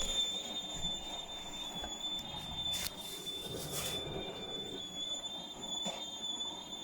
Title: Why is my Hotpoint making really bad squeaking noises!?